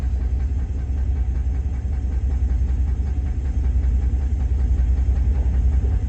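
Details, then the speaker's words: Newly bought GMC single-cab pickup at a gas station: steady idle with a dull, fairly regular knock about two to three times a second under the low rumble; engine knock, possibly a lifter, cause unconfirmed. "Yeah, she's knocking, guys. I can hear it now."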